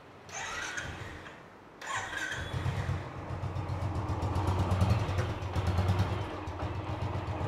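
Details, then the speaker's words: BS3 motorcycle just rebuilt after engine tick complaint, 216 km: engine catches and settles into a steady, even idle with no top-end ticking; quiet, healthy normal idle after rebuild. "Up कर लेते थोड़ा सा बिल्कुल शांत है sound कोई कोई आवाज नहीं कोई कुछ नहीं बढ़िया एकदम"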